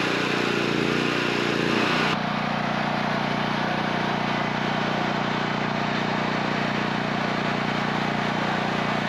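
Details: Harbor Freight Predator generator running on gasoline during a periodic test run, with an air compressor of perhaps 1,500–1,600 W as the planned load. A steady, even engine drone at constant pitch with no misses, surges or knocks: running healthy.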